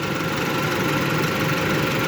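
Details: 2008 Hyundai Elantra four-cylinder, O2 sensor replaced and new spark plugs and wires fitted: steady even idle hum with no misses, knocks or hunting; idling smoothly and healthy.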